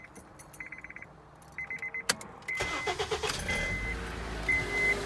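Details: Honda Accord 2.4 with a high-output alternator (2 in pulley instead of 2.5 in) still running the stock-length serpentine belt: chimes, then a quick flapping slap as the belt buckles at start-up. The fix is a shorter Gates K070714 belt. Loose serpentine belt slapping.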